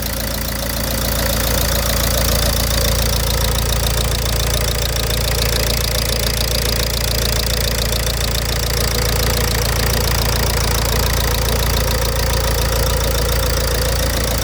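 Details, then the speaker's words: Diesel engine after a self-done rebuild following severe damage, first start after glow plugs removed and engine spun on the starter, timing belt unchecked: even, steady diesel clatter at idle with no misses, knocks or hunting; runs smoothly. "Маніпуляція свічками дала свій результат. Двигун запустився дуже чітко, все тихо працює."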